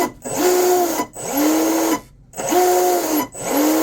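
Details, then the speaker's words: Volantex Vector 70 RC boat after binding the receiver and ESC: four short throttle bursts, each a smooth, steady electric motor whir; normal motor run. "Got the tone. Okay. It's actually pretty smooth sounding."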